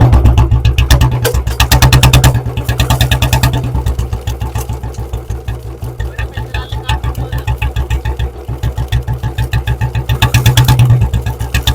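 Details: Royal Enfield Bullet 350 BS4 warmed up and ridden on road, carburettor set lean to make backfire; sharp exhaust cracks and pops on every throttle closing over the thumping single, a setting said to harm the carburettor.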